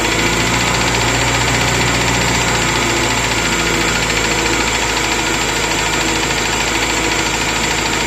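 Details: Moskvich 2140 engine at idle with a loose knock of about three a second, unsteady in rhythm, over the engine; cause of the knock unclear.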